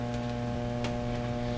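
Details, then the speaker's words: Fender Blues Deluxe tube amp with a loud, steady, buzzy low hum and no signal. High voltage is 380 V versus about 440 expected. Clipping on a used test capacitor removed the hum, so the filter caps are very likely the issue. "clip on here your hum's gone so there you go so we're pretty sure that the filter caps are the issue"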